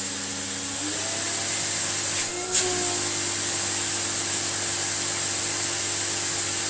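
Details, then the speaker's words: Restored Electrolux Z2060 Electronic vacuum cleaner. Steady high-pitched motor rush with a strong airflow hiss, holding even throughout. Normal full-power running. "yeah you only get the 1400 watts whilst you are holding down this button on the hose which is a bit of a faff"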